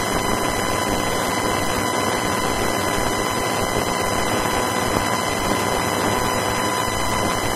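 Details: Main Windows 10 PC audio through a home-built amplifier, heard on headphones not speakers; steady high whine with constant hiss, crackle and buzz, present whatever amplifier is used; owner first suspected a ground loop, cause unknown.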